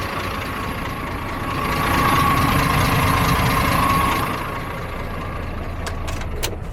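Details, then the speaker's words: DAF MX-13, model year 2017, 530, customer reports ticking around 1000 rpm: fast, even tappety clatter at about four taps a second over the diesel idle. Rocker cover to be removed; cause not yet confirmed, camshaft failure suspected. "So now we know it sounds like a bag of nails. We'll get the cab over and see what's going on under the rocker cover."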